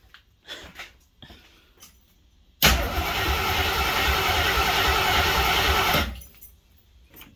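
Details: Salvage-yard AMC 360 V8 (5.9L) newly installed in a 1976 AMC Gremlin, with strong spark and gas poured down the carburetor: about three seconds of steady, fast starter cranking with no catch or firing; it later ran on bottle feeding.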